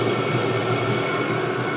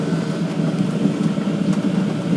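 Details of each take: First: All-in-one 12V/24V/240V diesel heater at full output on a 24V supply, body temperature 130°C, set temperature 12. Steady rushing fan with an even whine, no surging or popping; burning cleanly. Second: All-in-one 12V/24V/240V diesel heater at full power with a full diesel supply, struggling to burn. Rough surging roar with uneven pulsing, close to flaming out. Owner suspects the air intake and exhaust being placed next to each other; not confirmed.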